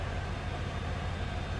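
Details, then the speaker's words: 1996 Chevrolet Impala SS, stock LT1 V8 with no check-engine lights, heard idling from the rear at the tailpipe. A steady, even low rumble with no misses or ticks is heard. Normal idle. "Slip around to the back so you can hear this run. Sounds as it should. Stock SS Impala, that LT1 power."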